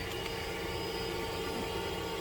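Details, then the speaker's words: Stock 5.7 HEMI Ram truck with the engine running: the nitrous kit's standalone electric fuel pump gives a steady, even hum with a faint constant whine and no surging, with pressure set around 50 psi; normal pump operation. "Fuel gauge, as you can see, is working. You can hear the pump running."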